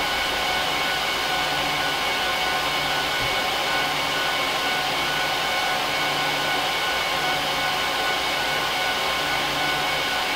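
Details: HP ProLiant DL380p Gen8 server (24×4GB DIMMs, eight 300GB 10,000 rpm drives in RAID 5, both PSUs, no cards) during POST/boot: loud, constant high-pitched air rush with steady tones, no rattle or pitch wobble; fans at full speed, normal.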